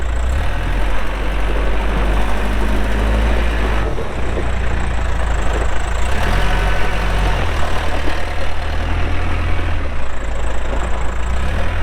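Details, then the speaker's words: 2007 Case 580M Series 2 backhoe, 4WD, Extendahoe, pre-emissions diesel, 3,812 hours: deep, steady diesel rumble holding even through the working cycle, no knocks or misses; runs good, hydraulics strong, normal healthy running. "starts up and runs good Hydraulics are strong"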